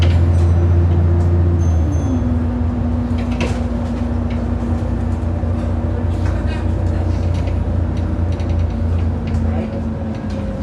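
Steady bus drone with scattered sharp thumps and knocks as the wheels hit rough road; a suspension knock, cause unconfirmed.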